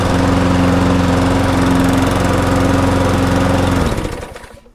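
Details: Viking mulching mower with a five-horsepower engine, no grass box, bought cheaply. It gives a smooth, steady drone at constant speed with no knock or surge, then winds down cleanly at shutoff. Normal running.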